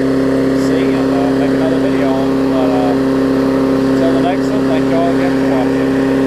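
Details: Craftsman 22-inch big-wheel push mower, 2008, Briggs classic engine, after salvaging the safety cable and adjusting the carb linkage spring: constant steady drone at governed speed, no surging or hunting; running right.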